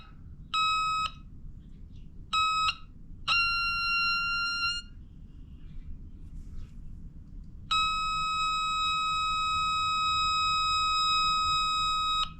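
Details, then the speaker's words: JC Penney Pinto moped (Puch E50 engine), flywheel turned by hand with a tester on the ignition: steady electronic tone cutting in and out, then holding, as the breaker points open. Possible short suspected. "Let's see if we can run this around. Points are opening right there."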